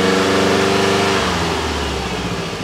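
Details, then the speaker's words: Subaru GC8 version three STI with a misfire that began after an overheat: uneven, lumpy petrol idle smooths out as revs rise slightly, though the misfire may still be present; compression test planned. "The interesting thing about this setup is once you give it a little bit more acceleration, it kind of seems to smooth out a little bit about"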